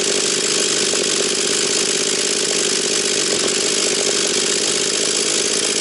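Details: Husqvarna 240 chainsaw after carburettor mixture screws were readjusted (about 11,500–12,000 rpm top): steady, high, even scream with no bogging or surging, holding flat at top revs; pulls cleanly at full throttle.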